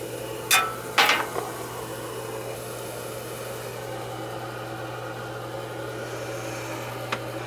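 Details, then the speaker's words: Gas boiler on single-zone shotgun system in a ranch house, after no-heat call: a couple of handling knocks, then steady low even circulator hum, return coming back warm. Normal boiler operation. "I'm starting to go up warm now you can hear the sir can feel the circulators running"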